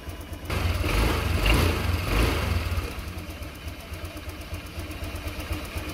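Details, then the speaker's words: Honda Click 125 FI scooter that sputtered and stalled, after spark plug replacement and slight air screw adjustment: engine catches, revs up cleanly, drops to a steady even idle with no stumbling or misfire; runs properly. "Ngayon bubombahan natin guys. Ayos ang tunog."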